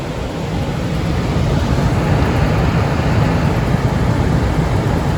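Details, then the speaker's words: About 50-year-old Sears gas furnace after its noisy blower motor was replaced, on a test run: a steady low air whoosh over a smooth motor hum with no scraping. Much quieter, fan spinning without rubbing. "wow that's a lot quieter than it was looks like that fan is spinning pretty well without rubbing on anything seems to be working pretty well"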